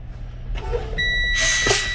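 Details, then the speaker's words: Manual Class A truck idling during an in-cab air brake test: steady high electronic low-air warning buzzer with warning light coming on at 65 psi, as it should. "my warning light and buzzer come out at 65 psi this is a good test"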